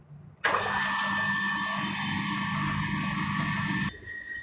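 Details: Crompton mini marvel water pump motor, previously shutting off after 10–15 minutes from overheating, now repaired, primed with water: snaps on to steady even hum then shuts off cleanly; later ran 1 hr 35 min fine.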